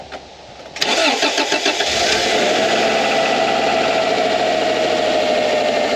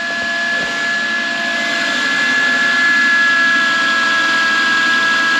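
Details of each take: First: Subaru EJ 2.2L/2.5L after alternator replacement and battery reconnection: quick crank, clean catch and a steady, even idle with no knocks, squeals or misses; charging voltage rises from 12.9 V to 14.4 V, normal start and running. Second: Subaru with EJ 2.2L/2.5L engine idling: steady high whine over the engine from a failing alternator, hot to the touch, with voltage jumping around 10–11 volts and reading 11.8 volts instead of charging.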